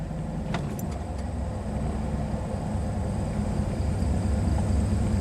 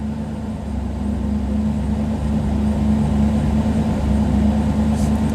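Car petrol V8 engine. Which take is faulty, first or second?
second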